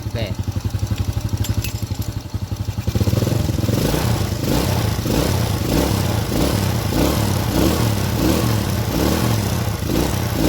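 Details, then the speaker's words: Honda Supra-series carburetted single after needle (jarum panjang) clip set to middle to match the needle jet, left idling to warm up: steady, even putter with no sputter or misfire; sound changed from before, normal idle. "Oke, suaranya sudah berubah ya, tidak seperti tadi. Mengbeng mbengbeng."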